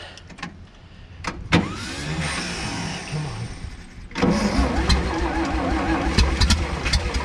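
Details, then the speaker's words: Vintage Scoopmobile LD5P articulating loader (thought late 1940s–early 1950s), first start attempts after at least 15 years sitting; slow uneven cranking with scattered firings, briefly catches and stumbles before dying. "Oh. It's wanting to. That is freaking awesome."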